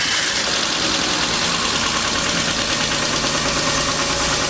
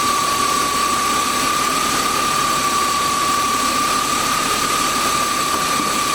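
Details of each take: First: BMW 328i E36 inline-six, bought cheap with suspected blown head gasket and coolant leak near head, first start: light fast ticking about three per second over steady idle, no white smoke; owner suspects needs an oil change. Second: BMW 328i E36 inline-six, suspected head gasket issue and possibly wrong radiator: even steady idle with constant high hum, no stumble or miss; no steam or water in oil, but coolant level dropping; engine runs smooth.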